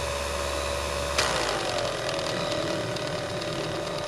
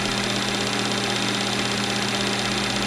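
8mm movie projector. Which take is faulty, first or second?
first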